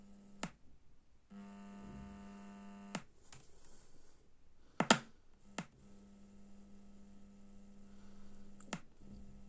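A steady low buzz with a row of overtones, cut by sharp clicks as it switches off and on; amplifier hum, cause unknown.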